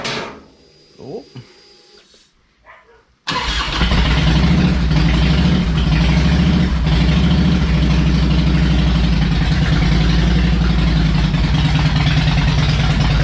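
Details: Harley Electra Glide owned almost five years, after new spark plugs, a cleaned air filter and fresh oil, not yet warmed up: engine catches and settles into a deep, even potato beat at about four pulses per second; normal idle.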